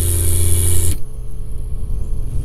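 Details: MSI GTX 560 Ti graphics card fan, card mounted vertically: loud, rough droning whir with a low hum that cuts out abruptly after a second; failing fan bearing, fixed by fitting a new 75 mm replacement fan.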